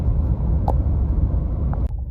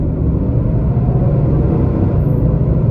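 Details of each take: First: 2022 Nissan Titan V8 running with the fan clutch disengaged: steady, even low exhaust rumble with no fan roar or roughness, normal sound when the fan is not stuck; the failed fan clutch sometimes stays locked. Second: 2022 Nissan Titan driving through all gears with the fan clutch failed and stuck locked: a heavy, steady jet-like roar and constant whoosh over the engine. The viscous fan clutch stays locked the whole time.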